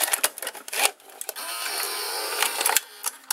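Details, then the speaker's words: Sanyo Betacord VCR-6100 that would not eject, after replacing the carriage belt under the circuit board: light clicks, smooth motor whir about a second, closing clicks; normal, clean tape loading cycle. "well right now I've replaced this carriage belt and it seems to work better"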